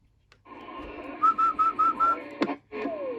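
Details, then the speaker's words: Early-1990s Astatic D-104 lollipop CB microphone on a Cobra 29, after its oxidized PTT leaf-switch contacts were cleaned: clear whistled notes come through crisp and steady, with no crackle, static or dropouts. "you hear that no static no static in my attic turn up a little mic gain"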